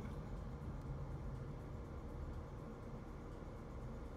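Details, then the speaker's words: 1991 Mercedes 500SL idling at about 600 rpm after replacing idle control valve hoses and cleaning the valve, before smog test: quiet low even rumble, no misses or hunting, air pump heard shutting off; healthy idle. "I hear the air pump little shut off sounds good all right I'm on my way we get it smogged"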